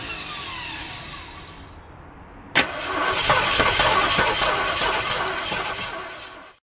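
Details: 1967 Ford Mustang that won't start, cranked with pedal pumping: a whirring crank, then a sharp catch and uneven sputtering bursts for about four seconds that never settle into a run before dying.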